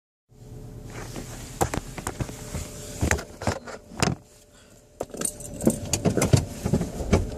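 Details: 2006 Chevrolet Cobalt Coupe, 99,000 km, at low idle while the steering wheel is turned, especially when parking or in first gear. Sharp, irregular clicks and clanks come from a binding steering intermediate shaft, which the dealer replaced.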